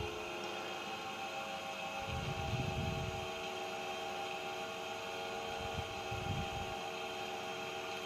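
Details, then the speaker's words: 115V AC industrial fan on a variac at its 115 V maximum: a steady whir with a constant hum and rushing air, slightly louder than before. No rattles or rubbing; it runs smoothly at full speed with brilliant cooling. "this is the maximum voltage when the fan a small it's a little bit louder but the cooling is just brilliant"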